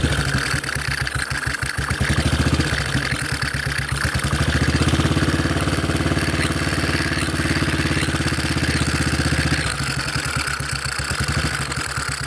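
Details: Model 8 motorcycle engine, recorded cold then hot, with an uneven idle and dull irregular knock rising and falling with revs; more noticeable at 40 mph and above, cause unclear.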